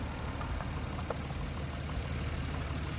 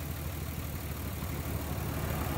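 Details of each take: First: 1994-1999 Nissan Maxima after replacing the failed ignition coil pack: steady, even idle with smooth low hum, no stumbles; misfire solved. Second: 1994-1999 Nissan Maxima with three coil packs, misfiring: low uneven idle that shakes and stumbles; unplugging the bad coil changes nothing, unplugging a good one makes it run much worse; failed ignition coil pack.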